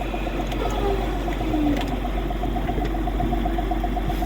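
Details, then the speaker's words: Massey tractor-driven hedge cutter with the rotor running without flails: smooth tractor drone with an even whirr, no knocks, rattles or rubbing; it sounds sweet, so the problem is likely just bushes or bolts. "as you can hear we've got the rotor running with no flails or anything in and she sounds sweet"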